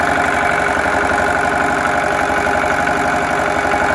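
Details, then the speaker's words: Lister diesel engine newly bolted onto a concrete mixer frame: steady, even chug about three beats a second, no knocks or misses; a healthy idle. "So there's a concrete mixer and Corneille started it and it's running. Corneille hom gestart en hy loop."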